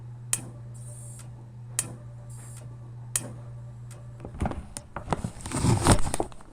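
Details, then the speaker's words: 302 no-start, fuel pump heard running: with the wire pulled off the coil while cranking, sharp snaps about every second and a half over a low hum; coil arcs, so spark is present. "pull the wire off the coil Spin and it arcs out of the coil"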